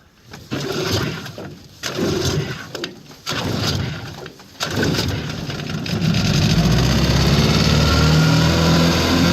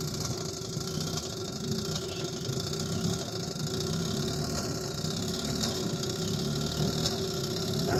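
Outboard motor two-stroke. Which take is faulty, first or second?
second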